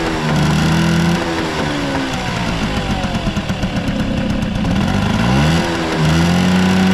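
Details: Vintage Honda 12V Squash (AB11-1055) moped, running check: the small two-stroke revs up and back down smoothly, its even buzzing note following the throttle with no knocks or rattles; quiet engine, no abnormal noise, healthy.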